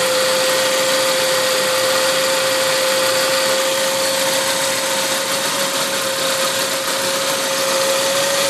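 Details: Saab 9-5 running on E85, turbo about 10,000 km old, engine not fully cold at roughly 30°C; steady high thin whine over a hissy idle, holding pitch and creeping up slightly; source of the whine unknown.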